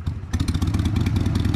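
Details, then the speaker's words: 2002 Harley-Davidson Sportster after carburetor cleaning, not yet warmed up, just stalled once. Lumpy, uneven V-twin idle with irregular firing beats that sags toward stalling: rough cold idle. Owner thinks it needs an idle adjustment. "it's not quite warmed up yet that's why you know what it's going to need a"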